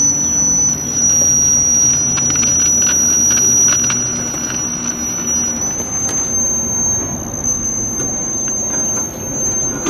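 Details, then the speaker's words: Steady piercing high whistle over a low hum from a 1956 GE 14T014 black-and-white portable TV on first power-up before repair, sounding very unhappy; horizontal-section squeal from failing capacitors. "[Music] it sounds very unhappy"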